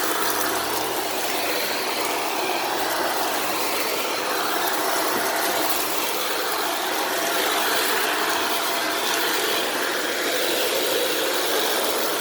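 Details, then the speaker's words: Shark Rotator Powered Lift-Away NV750W vacuuming laundry beads: a loud steady vacuum rush with a fast rattling flutter, about four per second, as the brush roll hits debris stuck in it. Beads are still falling out. "so so now the brush roll sounds bad and there are still some beads falling out"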